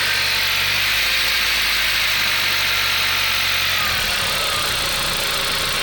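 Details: VW Golf IV 1.8T 150hp (110kW) AGU turbo petrol: metallic clatter from under the valve cover, heard at idle and growing busier as revs climb; owner suspects the camshaft chain, not confirmed.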